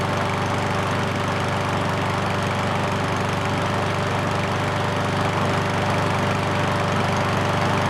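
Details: Ariens push mower that wouldn't start after long storage, running after a carburetor clean; the single-cylinder engine holds a steady, even beat with no misses or surging, healthy and smooth.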